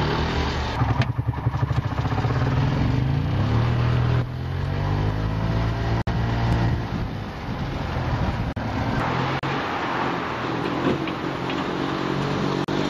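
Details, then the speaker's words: Robin EC25-2PG two-stroke in an EZGO golf cart, muffler refitted, with a worn piston and a missing ring, driven in reverse. The engine note is rough and uneven, pulling weakly with occasional pops; it is gutless, hard to start and backfires from low compression. "anyways I'm pretty amazed that with the problem you saw that I showed you previously in the video that it still runs it's a bit gutless it's a bit hard to start sometimes it backfires a bit"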